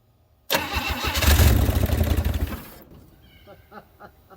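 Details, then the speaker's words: 1964 Chevy Bel Air, long sitting with empty tank, fuel poured in: starter cranks, engine catches in a short ragged sputter for about two seconds then dies, firing only on the poured-in fuel; brief start and stall. "All right, so that was a little tiny ghetto sputter, but you know what? I'll take it."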